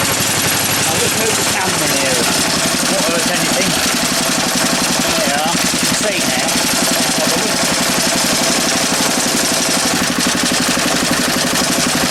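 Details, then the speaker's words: Single-cylinder engine after replacing the sheared flywheel key and setting the air gap: even, steady thumping with rattle from its mounting board banging, note changing slightly; running properly after repair. "Hear the note change slightly, but it actually works now. There you go. It actually works."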